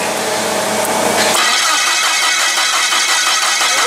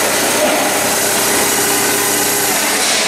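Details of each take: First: Komatsu (possibly GS20) with crank no start: starter spins the engine at an even rhythm, about three turns a second, but it never catches; weak spark from a weak ignition coil. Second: Komatsu (possibly GS20) with a crank-no-start, no-spark fault, ignition checked with scope and amp probe for a weak coil: engine catches and holds a loud, steady run with no misses; normal running after start.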